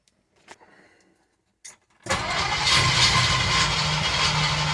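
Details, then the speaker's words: Engine with very low compression, rings or valves suspected, run with cleaner before teardown: quiet cranking clicks, then it catches and settles into an uneven, lumpy idle; runs terribly, cause not confirmed. "runs like total ass like runs terribly i've been running some cleaner through it try to clean it out in preparation for tearing it down"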